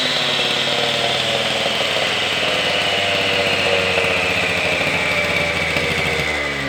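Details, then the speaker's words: Husqvarna K760 cut-off saw after a top-end rebuild with new piston, rings, pin, cylinder and carburetor, running with no load: a steady high-pitched two-stroke buzz at even speed, no misses or surging, normal running. "All right, I got this saw completely back together. I did start it once, and I think she's running pretty good."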